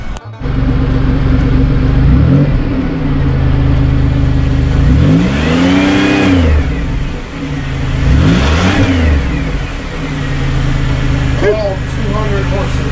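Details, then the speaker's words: 2000 Chevy Impala just after fuel pump replacement: smooth even idle climbing cleanly through three free revs and settling back, no whine or knock; new pump nice and quiet, pressure judged right. "yeah sounds good nice and quiet pressure is right of course we could look at with the gauge"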